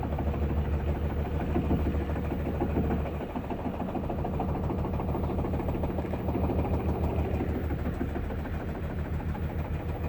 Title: faulty drum making noise